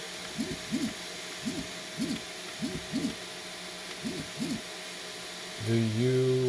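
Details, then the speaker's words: Tronxy Gemini S 3D printer: right-side extruder 2 stepper motor runs loud, with paired rising-and-falling chirps then a louder steady whining hum, while extruder 1 stays very quiet; cause unknown, noticeable at night during printing. "I've been always having a little issue with this side being loud. The right side, extruder 2. Again, this side is very quiet."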